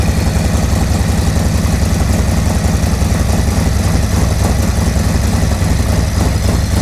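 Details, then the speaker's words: 2024 Harley-Davidson Road Glide (gen2 M8) cold-started after a Zippers 534 cam change: a deep, choppy, lumpy idle with evenly spaced pulses about three to four per second and no ticks or hisses. A healthy cammed V-twin. "Oh, she sounds good. Noisy up here, sounds really good. Sucking a lot of air. Oh, chop for me, baby, chop."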